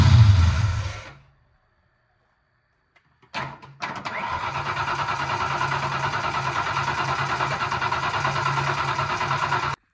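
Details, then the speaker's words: Foxbody Mustang, 302 V8 with B303 cam, T5, 3.73 gears, sitting since about 2021: starter cranks steadily and the fuel pump is heard running, but the gauge shows no fuel pressure and it never catches; likely out of gas. "Well, I think this thing's out of gas. I can hear the fuel pump kicking on, but when I look here at the fuel gauge, nothing's happening. There's no pressure buildup."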